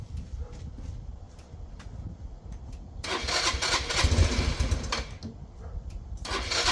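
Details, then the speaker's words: Yamaha Vino 125 scooter on its rear stand: it started right away, then sputters in uneven bursts and fades without holding an idle. Owner suspects fuel starvation from a dirty carburetor that is still clogged after cleaning. "It actually started right away at first, but I just don't think it's getting gas like it's supposed to. The carburetor was really dirty."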